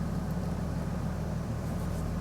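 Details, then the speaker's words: RAM idling with AC on, which demands the fan (demand reading now about 15, formerly going to 99): smooth, even low hum with a steady fan whoosh, no roar or knocking; healthy. "but now when i turn on the ac it demands it and that used to go to 99 and this would not change and now it's only a 15 and it's already a little bit above it"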